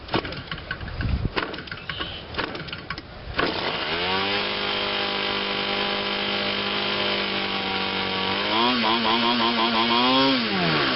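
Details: Quattro 52cc two-stroke gas engine, finally hand-started with a hard flip, fed through tygon tubing with a metal clunk: after some flipping clatter it catches and settles into a steady, even buzz, blipping up cleanly.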